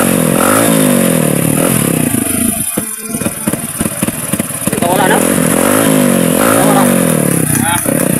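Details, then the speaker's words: Motorcycle that would not run properly after fuel system cleaning: engine revs unevenly, its beat stumbling and dropping out around throttle blips; a persistent misfire traced to a faulty CDI. "Wala kapag palado mga kaibigan ng motor niyo suban bagong cdi ang techque"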